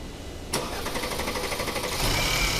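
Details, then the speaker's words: Mercedes-Maybach S-Class W222 with M276 engine, over 300,000 km, known for cold rattle and long cranking. Cold start catches into a harsh clattery rattle rising with revs: timing chain rattle, leading to timing chain and cam phaser replacement. "там обратился клиент с известными проблемами это грохот на холодную и долгий запуск"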